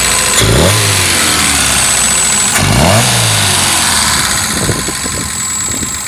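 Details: 2.0L Ford Pinto engine fitted in a Cortina: blips twice then idles unevenly with a thin steady high-pitched whine; running rough and down on power, cause unknown.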